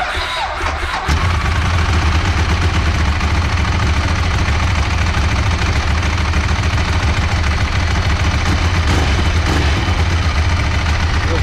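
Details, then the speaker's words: Big oversquare motorcycle engine with dry clutch at steady loud idle: loose dry metallic rattle over the engine beat; normal dry clutch chatter on an already noisy engine. "vou apertar a embreagem consegue perceber a diferença é em madureira né então o motor do cara que ele já não é muito silencioso né se l2 aqui é o motorzão quadrado né super quadrado ele já é um pouco barulhento e foi embreagem seca fica mais ainda"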